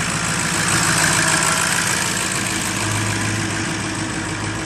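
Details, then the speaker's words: 2006 Ford F-350 6.0L diesel, 174,000 km, first cold start of day at about 2°C: steady even idle with crisp uniform injector clatter, slight warm-up smoke, no misses or knocks — runs smooth, healthy. "a little bit of warm-up smoke, but nothing too terrible. Run quite smooth."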